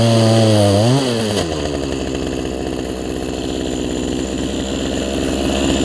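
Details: Poulan Pro 18" two-stroke chainsaw, revived from an equipment lot and running again, cutting a log: high-revving buzz drops and labours as the chain bites, then holds a steady strong pull; healthy saw.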